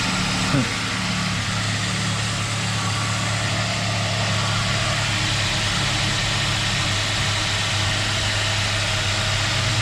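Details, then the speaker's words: 2005 Ford Ranger 2.3 four-cylinder idling just after valve cover and intake gasket, plug and plug wire replacement, checked for leaks: low steady idle hum, even and unbroken, no ticks or misses; normal idle. "Alright, as far as I can tell, we're going to be okay."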